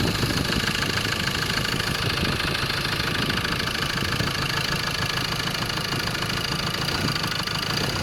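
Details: Ford Ranger 2.2 XLT 4WD diesel with manual transmission, idling: a steady, fairly even knock about three per second rides over the diesel clatter; cause unknown; engine knock.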